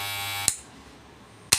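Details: FYC AC-powered hair trimmer after a loud-noise repair by tightening: an even, high, smooth buzz that stops and restarts cleanly with no rattle or scraping. The noise is gone and the trimmer runs healthy.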